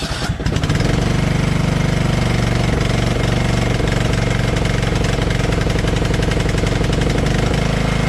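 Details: Lawn tractor being sold, started after heavy rain with the fuel shut-off reopened and oil checked: even low throb at steady idle with no misses, surges or knocks; healthy, nothing wrong found.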